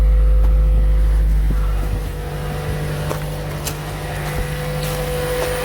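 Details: Toyota Prius Plug-In Hybrid that would not start because of a dead 12V auxiliary battery, started with a jump starter: a loud start settles into a steady low hum with no knocks or misses; healthy idle.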